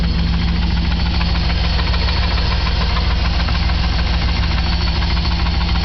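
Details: 1997 Chevy K1500 4x4 Z71, Vortec 350 5.7 V8, 250,000 miles: steady low idle with an even deep knock just over twice a second; owner suspects rod knock, and cylinder 3 has low compression with suspected leaking lower intake gaskets.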